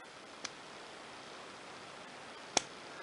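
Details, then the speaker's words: Vintage Onoto 6235/54 plunger filler fountain pen after restoration service: two sharp little pops over quiet hiss as plunger is pushed down on the filling stroke; normal, pen sounds fine. "can hear like a popping popping sound well need when you press the plunger down so everything sounds fine"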